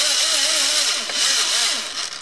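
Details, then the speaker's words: Trinity RevTech 24k 17.5 certified brushless motor freshly installed in an AE B5M, first test before recalibration: clean whine sweeping with each throttle blip, winding down smoothly, no grinding or rattle; runs fine. "Alright, servo. Motor. It works great, guys."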